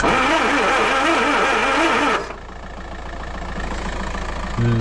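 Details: Land Rover 2.25 petrol, refurbished Zenith carb, new fuel lift pump, starter, coil and distributor, choke partly on, no accelerator connected: steady rapid cranking about four beats a second, never fires; fuel delivery failure, lift pump suspect.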